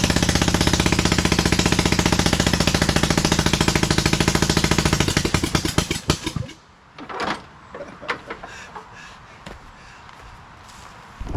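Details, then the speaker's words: 27hp engine fitted to a Lesco Viper 54" zero-turn mower: lumpy, uneven thumping lacking the even twin beat, then dies out; running on only one cylinder. "Okay, so I just figured something else out. It's really only running on one cylinder, so that's, it could be good news."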